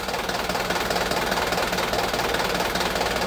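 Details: Diesel that kept stalling from air in the fuel system, right after its upper fuel filter was replaced: starts immediately and clatters at a steady, even idle with no hunting; it runs cleanly.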